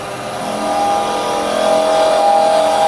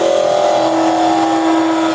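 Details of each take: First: Carbide chisel rolled over, working off the tip, while turning a small goblet (under 2 inches of wood) on the lathe: steady even hum, no rattle or chatter, a smooth quiet cut, unlike the noisy vibration when the chisel is held flat. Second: Woodturning lathe turning a small goblet from under 2 inches of wood with a carbide chisel presented flat to remove wood: a steady buzzing hum at two fixed pitches rides over the cut for two seconds; tool chatter vibration from the flat presentation.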